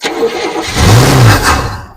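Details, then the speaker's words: 1971 Buick Skylark running off fuel in the carburetor bowl rather than the tank: it catches, revs briefly for about a second, then dies within two seconds, possibly from fuel starvation; the bowl needs refilling. "Nope. Nope. All right, let's fill up the bowl some more."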